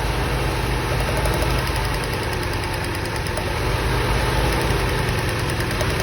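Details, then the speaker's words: Old Toyota Corolla running very rough and shaky at idle, loud lumpy uneven beat; power balance test shows no rpm change on cylinder one but changes on two, three and four, indicating a cylinder one misfire; valve inspection suggested. "she's still running rough still acting the same when we do a power balance test the rpms don't change at all on cylinder"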